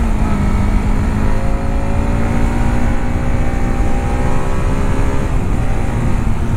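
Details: Modified Bajaj Pulsar RS200 single with dual disc brakes and a dead meter (suspected blown fuse), on a test ride: the engine note rises and eases smoothly with throttle, with no knocks or rattles. Healthy engine.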